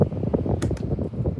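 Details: Schallen 12-inch desk fan running on its speed settings: steady low whoosh of the blades with a smooth, even motor hum and no grinding or rattle; normal running.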